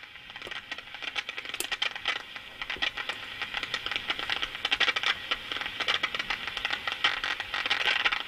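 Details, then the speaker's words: Shortwave receiver tuned to the 25-meter band picks up only crackly hiss and scattered pops, with no carrier, voice or tone; the radio is totally deaf. "[Applause] [Music] and that sounds totally deaf"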